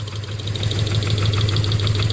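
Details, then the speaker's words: 2009 Subaru Forester 2.5 at idle, another cylinder's plug wire pulled: sharp metallic knock continues over an uneven missing beat, confirming a rod knock. "And to prove that I'm right, let's pull one of these up here. It'll continue to knock, but it'll miss. See, it's missing, but it's knocking."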